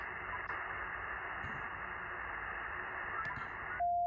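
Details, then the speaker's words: HF amateur-band receiver audio suspected to be powerline noise: constant rough hiss and growl at S9 background level, jamming weak stations, until a steady tone cuts in; heavy interference, source unconfirmed. "This is how the interference is actually manifesting itself. So you'll hear kind of the growling background noise there. You would expect a certain amount of static on the HF bands."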